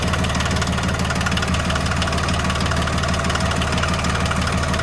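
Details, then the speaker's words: John Deere 750 tractor diesel after water pump replacement and refilling with 50-50 antifreeze, running to check for leaks; even, steady chug at about three beats a second, no knocks or misses. Normal diesel idle. "Okay, now we're ready to fire it up and see if we got any leaks."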